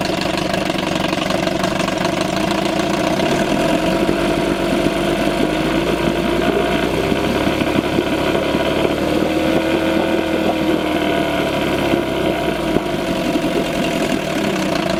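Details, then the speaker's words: 1987 Johnson 4hp twin two-stroke outboard in a water barrel, first start since last summer, on old fuel mixed very rich with oil, slightly smoky: steady even idle with light pitch wander and no knocks or misses; normal idle. "it's idling over absolutely fine so let's just do a quick walk around with it"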